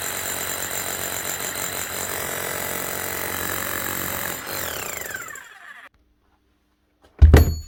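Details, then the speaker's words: Hammer after a new armature, bearing and seal are fitted; steady rapid hammering for about five seconds then winding down, smooth and like a new hammer, healthy even hammer action. "Nice one. Sounds good. Basically, a new hammer at a third of the cost."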